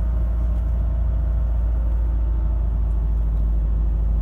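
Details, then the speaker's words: 2006 Chevy Equinox cold start at -8°F after four days unstarted: deep, uneven low rumble at idle with irregular pulse about three per second, not firing on all cylinders until idle picks up. "she doesn't relent on all cylinders either you know it's not good when idols back up"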